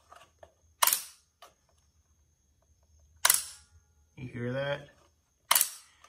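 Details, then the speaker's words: CitiCar SW202 with 12 V-coil forward/reverse contactors driven via relays from the 48 V toggle switch: sharp paired clicks as the switch is thrown, one contactor dropping out while the other pulls in, normal. "the two clicks are uh one of the contactors flipping off while the other contactor is flipping on"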